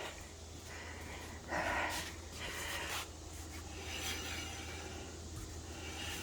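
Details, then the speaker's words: Rear brake on a 2008 Honda Ridgeline, wheel spinning: a soft scraping swish returning every turn or so. It is still rubbing after the emergency brake was checked and released, so the brake is still dragging. "Let's go check that emergency brake. Where is it? Here it is. All right, so that should have released it. Yep. Still rubbing."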